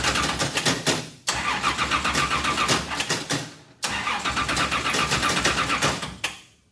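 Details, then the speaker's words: Richard Petty race car, first start in years after new fuel cell install and carburetor bowl primed through the vent: three bursts of even starter cranking with sharp cutoffs, never catches; not picking up fuel, owner thinks maybe too much fuel. "okay well it's not picking up fuel let's try one more time"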